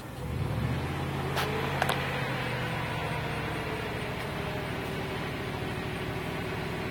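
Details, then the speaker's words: Van engine hums steadily while held on the throttle, with good temperature, oil pressure and voltage, then its firing note fades as it dies when the throttle is released; it won't hold idle, cause unknown. "if I give it gas, it'll stay running. If I let off the gas, boom, it dies."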